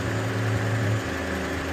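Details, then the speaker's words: 2009 Honda Civic idling steadily when A/C is switched on: slight idle shift as the compressor clutch pulls in and engages; compressor previously not engaging due to a bad ground, works once a ground is provided. "Go ahead, turn it on. There it is. It's starting to engage now."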